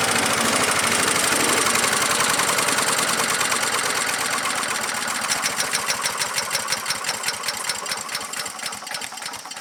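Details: Earthquake chipper/shredder small engine chopping limbs: loud roar drops into slowing, uneven chugs about three per second as larger branches load the cutter; owner suspects dull knives, unconfirmed; engine bogging under load.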